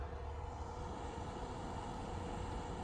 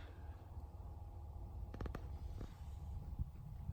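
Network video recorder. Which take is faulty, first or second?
first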